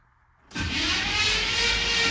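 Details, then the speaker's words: 1965 Cadillac Coupe DeVille, off the road about 15 years, first crank on the key: strong, even cranking at steady, healthy speed with no drag; spark and fuel not yet sorted; normal cranking. "she's turning over with the key nice oh this is [Music] awesome man that turns over pretty good"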